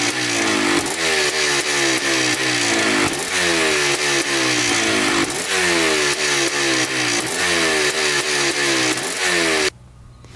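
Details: 1987 Yamaha YZ 490 two-stroke after carburettor rework for bogging, warm: crisp ringing that climbs and falls cleanly with each throttle blip and settles back evenly. The air screw is at 2¼ turns out, in spec, and it is running right.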